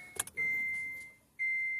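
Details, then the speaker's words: Kia/Hyundai after fuel pump replacement, key on without starting to prime: two short steady high whirs, each about a second, the fuel pump priming normally to build pressure before a leak check. "Now we can go turn the key on, not start. Let that prompt prime it system for like 10 seconds."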